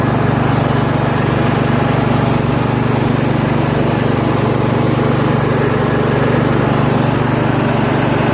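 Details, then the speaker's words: Troy-Bilt Pony lawn tractor with mower deck/PTO engaged, running after hole drilled out to stop surging: loud, steady drone holding speed under mowing load, no surging; normal running under load. "sounds good. It's not surging because I drilled out the hole, right?"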